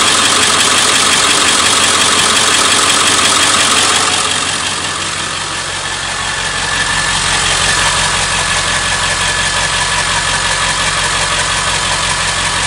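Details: Ford 7.3 Powerstroke diesel at idle with a sharp, even tick about three times a second over the idle; source of the ticking not pinned down.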